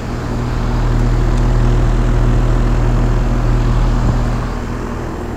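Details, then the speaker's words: 2001 5-ton Trane XE1000 Weathertron heat pump in heat mode under high load, outdoor temperature dropping into 40s°F: loud steady low drone audible from the street, even fan throb, running normally. "but when this thing's running under a high low you can hear it all the way from the street"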